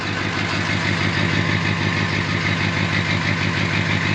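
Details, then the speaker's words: 2006 Ford F-550 6.0L Powerstroke diesel idling after a fuel system overhaul with a blue spring kit regulator repair, now 65 PSI. Steady, even clatter with no knocks; owner thinks there might be a little smoke, to be checked later. "Yeah, it sounds pretty good. Might be a little bit of smoke in there."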